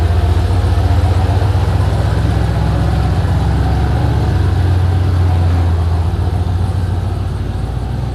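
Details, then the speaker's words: Turbo 5.3 LS-swapped Chevy S-10 on its first drive since the engine swap: a deep, lumpy V8 drone under load with an uneven, stumbling beat. It runs rough and still needs tuning. "Obviously needs more tuning, but that's something."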